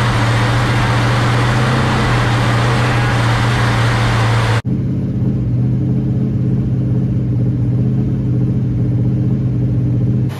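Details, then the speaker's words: 1967 Dodge Coronet 500 convertible with a new Mopar big-block V8, first successful run: deep, steady rumble with an even beat, no ticking or exhaust leak puffing. Runs nice and sounds healthy. "sounds good though runs nice"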